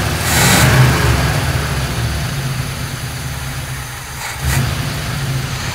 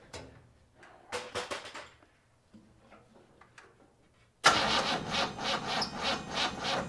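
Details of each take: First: 1957 GMC 100 truck's old petrol engine, first run after sitting many years and previously cranking slowly, runs and revs roughly with a low uneven rumble and no knocking; owner feared it had seized from oil starvation. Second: 1957 GMC 100 pickup, first start after sitting many years, fuel poured into the carburetor bowl without a fuel line: cranks, catches and runs about five seconds with an uneven, lumpy pulse before dying; tired engine with some valve-cover vent blow-by, cause unconfirmed.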